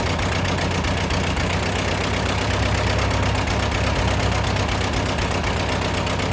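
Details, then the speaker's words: Restored Ford 8N tractor: low, chugging, uneven idle that stumbles and sputters while the carburetor leaks; a sticking float is suspected and the float height has not yet been adjusted. "the carburetor is leaking uh while it's trying to run. It's sputtering. I I think the float is getting stuck still."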